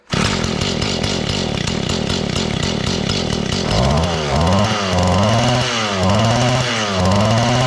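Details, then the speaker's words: Mantis tiller two-stroke engine during carburetor adjustment, high and low speed screws near 1 to 1.5 turns out: it buzzes high, then surges up and down instead of settling; unstable, hunting idle, likely too much fuel at idle. "Still doesn't want to idle real good."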